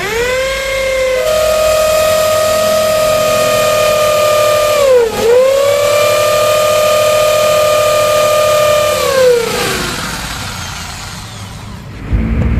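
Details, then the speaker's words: 13 mm impact drill after repair of a no-drill (no hammer) fault, reassembled with propped-up mode button: steady high motor whine with fast even hammering in concrete drill mode, dipping under load then recovering; hammer action now normal. "drill mode for concrete or the drill mode for walls, now the sound is working cool and vibrate"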